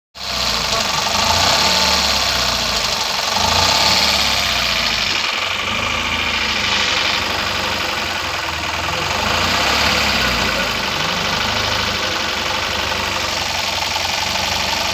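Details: Tata Nano with poor throttle response and popping on acceleration: uneven, lumpy idle with irregular stumbles and pops; engine misfiring, cause not yet identified.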